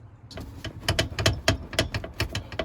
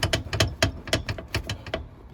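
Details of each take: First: Jeep TJ passenger tumble seat after installing 3D printed replacement bushing parts: wiggling the seat gives only light plastic clicks and taps, no metal-on-metal clank; rattle much reduced. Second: Jeep TJ tumble seat mechanism missing its bushings: quick bursts of sharp metal-on-metal clacks, about ten in two seconds, as the loose mechanism bounces around instead of being smooth and quiet.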